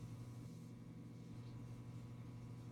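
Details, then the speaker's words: Coleman forced-air heater after a pressure switch replacement: a low steady electrical hum with no ignition whoosh or blower rush, then it shuts off; heater energizes but fails to ignite. "I turned on the heater you can hear it like humming and then it'll just shut off"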